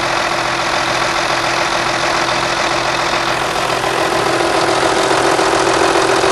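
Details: MAN V12 800 kW diesel at first startup after sealing a leaking pump element: it settles into a steady, even idle with a constant drone and no knocks or misses; sounds healthy.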